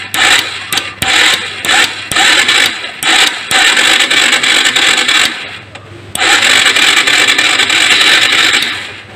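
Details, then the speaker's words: Carbureted Honda Supra X 125 cranking with starter, no spark at coil lead grounded to the frame; engine never fires; cause found to be a failed pulser, replaced with new. "Apakah mengeluarkan bunga api ini kita tes di sini langsung ke masa Ayo kita Zoom dulu biar jelas [Musik] Hai kon takon start Hai sama sekali tidak keluar bunga api"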